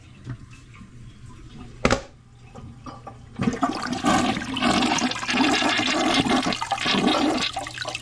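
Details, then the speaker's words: Old toilet before replacement, jets clogged with mineral deposits, jet thought not to be working; short gurgling flush swirling a few seconds without a strong rush; weak flush. "I don't think that jet is working. It's clogged up."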